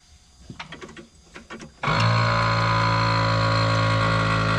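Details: New Holland TM120 tractor air seat compressor after crimping a new spade connector and switching ignition on: a few light clicks, then a steady, even motor hum with no stumble or rattle; compressor runs normally.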